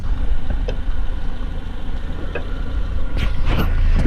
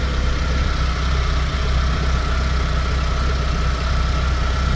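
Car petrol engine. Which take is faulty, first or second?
second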